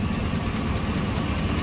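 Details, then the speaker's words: Ram 1500 4th gen Hemi V8 idling warm before Pace Setter headers install (exhaust temps 150–219°F, cat 160); steady idle with fast sharp ticking puff on exhaust pulses, exhaust manifold leak; owner also suspects a bad plug on front cylinder. "i have 70. the block itself yeah 50s 100 on that front one i might have a bad plug in it too hopefully not but i mean you can hear the exhaust leak but i"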